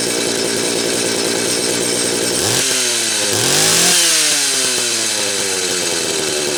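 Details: Late-'80s/early-'90s Homelite 330 two-stroke chainsaw, sat a while, then given new hoses, carb kit and tank duckbill valve. Revs cleanly up and back down, then settles to an even run; engine healthy.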